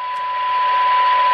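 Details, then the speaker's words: 1978 Craig 4103 23-channel AM CB radio, fed a function-generator AM tone through a stepped attenuator at the 10 dB SINAD reference; steady clear ~1 kHz tone over soft hiss, normal receive. "and on the cyanide meter that's giving us our 10 db synapse which is the reference for this radio so that's what it sounds like"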